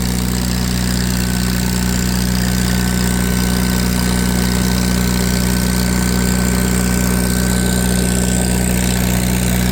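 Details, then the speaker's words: Farmall 350 row-crop tractor on PTO dyno, warmed up, pulling 35 hp at PTO (rated about 36): steady even low drone with a firm deep hum, no knocks or misses; healthy under load. "Pulled 35 horse at 500 RPM on the PTO. I think they're rated at 36. I had it running for quite a while before I started videotaping. Sure sounds good."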